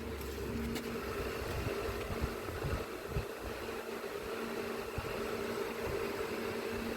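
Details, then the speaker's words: Panasonic washing machine with H07 error, direct spin selected up to 2000 RPM: steady humming drone with rough rumble underneath; drum bearing worn, needs replacing. "you can hear the noise it is anyway bearing gone we have to replace the bearing also"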